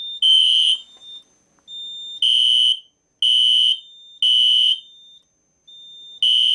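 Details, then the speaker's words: System Sensor Spectralert P1224MC horn strobe on code three low, powered by Kidde FX panel's full-wave rectified output: harsh, buzzy horn bursts about every two seconds, rough and low; horn raspy tone on FWR power. "the the FWR current um gives the Spectre Alert and it gives it a more raspy and scratchy and low pitch sound"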